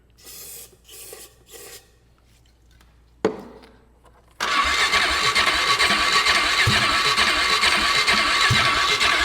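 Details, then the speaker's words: 2008 Polaris Ranger 500 UTV after sitting: several cranking bursts, then it catches and runs loud and uneven, and doesn't sound good. Owner suspects bad fuel or a bad fuel pump, unconfirmed; the fuel doesn't smell too bad. "Let's turn over on our own now. That's a plus. Doesn't exactly sound good."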